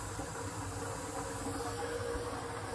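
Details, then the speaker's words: Barn hydronic radiant heating system during first fill after fixing leaks: steady soft hiss over low pump hum as trapped air vents out of the system's top vent. "can you hear that that thing's venting the air out of the system right now"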